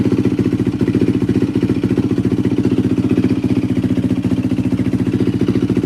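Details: 2004 Yamaha WR450F after carburetor rebuild, pilot screw 2 turns out; quick even thumping with a steady beat, no misses or pops: idling cleanly.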